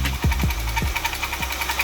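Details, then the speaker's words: Idling 3.6 engine: sharp tick-knock repeating steadily, sounding higher than the bottom end; mechanic suspects an accessory pulley, checking by removing the belt; flex plate ruled out, not confirmed. "That's a pulley, man. Take the belt off. Take the belt off, it'll go away. Yes, it will. That's an accessory noise."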